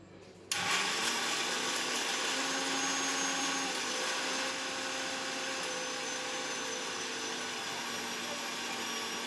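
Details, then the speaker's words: Kitchen mixer grinder whirring while grinding peanuts for chutney; high-pitched motor whir with steady overtones and a steady rough grinding edge, sounding unusual to its owner; abnormal, cause unclear. "అదేంటో మరి మా mixie sound అయితే వెరైటీగా వస్తుంది కదా అసలు నేనే shock అయిపోయాను ఇది మిక్సీ సౌండేనా అనేసి"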